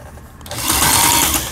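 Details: Elna 318 sewing machine (Janome-equivalent) after repair of jammed cam-follower gearbox that had locked it: short, even whirring run rising and easing off smoothly, no knocking or binding; turns freely, sounds healthy.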